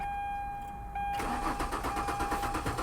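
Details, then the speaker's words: Abandoned C3 Chevy Corvette at auction: faint electric hum, possibly the fuel pump, then steady even cranking at about six turns a second without catching; a relay is suspected stolen, not confirmed. "I hear the fuel pump somebody stole a relay didn't they I thought I heard the fuel pump"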